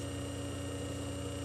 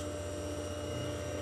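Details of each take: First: Century 1/4 hp 110 V induction motor with sleeve bearings and an internal centrifugal fan, running unloaded: a constant quiet hum with no rubbing, rattle or bearing noise; a smooth, healthy motor. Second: Century 1/4 hp electric motor humming steadily with a light, uneven ticking rattle swelling when the shaft is loaded or moved; began after disassembly and cleaning, cause unknown.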